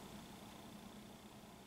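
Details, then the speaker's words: 1967 Teac A-4010S reel-to-reel under restoration, tape stopped: faint steady hiss on one output channel, much worse than the other; owner suspects the output transistors and plans to fit NTE replacements; cause not confirmed. "it's pretty noisy so I'm thinking it's probably those output transistors"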